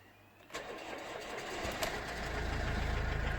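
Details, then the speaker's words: Older car with 128,000 miles: it turns over briefly and a little sluggishly, catches, then settles into a steady low idle. It starts, just a bit slower than a newer car would. "Yeah, I mean, it starts, it's just a little slower than perhaps a newer car."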